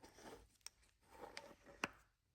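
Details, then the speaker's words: Warn manual locking hub, NOS and never indexed, for a 1957 Power Wagon, tested on the bench after re-indexing the dial from about 12 to almost 3 o'clock: soft detent snaps turning from free to lock with no binding. The hub now engages normally. "Nice and easy. Nice and easy. That solved the problem."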